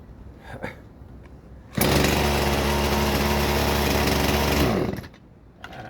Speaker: And it runs.